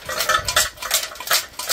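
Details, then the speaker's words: Smart ForTwo 450 catalytic converter, removed during engine rebuild after the engine blew up and turbo cracked; shaking it by hand gives loose tinny rattle from inside, substrate has eaten itself, cat needs replacing: catalytic converter internal rattle. "has eaten itself you can hear that that's not the uh not the uh collets and bits and pieces making that but it's the inside of the Cath converter um it's totally naked"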